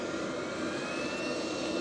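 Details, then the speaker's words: VEVOR 2025 8 kW diesel heater on high, maxed-out output; even, steady rushing roar of air with faint high fan whine, no rattles or pulsing, airflow measured at 33 mph; normal full-output airflow. "So, we're at 33 miles an hour. So, yeah, a lot of air flow there."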